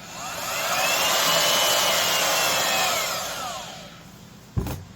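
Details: Craftsman (Skil-built) 14 A 1680 W half-inch router, about 5-10 years old, after fixing bearings lacking motor pretension: motor winds up to a smooth steady high whine without rattle or growl, spins down cleanly; normal running.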